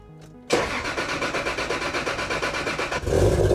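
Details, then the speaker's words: Toyota Supra 2JZ on E85, after injector cleaning and oil priming: short crank, six catches immediately and holds steady idle, rising with a little throttle; running beautifully. "can never get sick of that sound just a cab 2J and the smell of be 85 she's running she's running beautifully"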